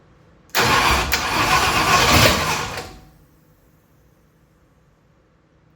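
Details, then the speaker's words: 1965 Ford Thunderbird FE 390 being restarted after distributor and timing-chain work: about two seconds of uneven cranking that never fires; owner suspects it isn't getting enough fuel. Crank no-start from fuel starvation. "I'm thinking maybe it's more of a fuel like just not quite getting enough fuel to it right now it's kind of what it seems like but I'm no expert on this for [Music] sure"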